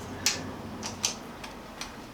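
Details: Steady, crisp, light indicator clicks at an even pace with no engine noise, on a 1978 cafe scrambler build after rewiring with a resistor load across the bulb; the flasher works normally, no adjustable relay needed.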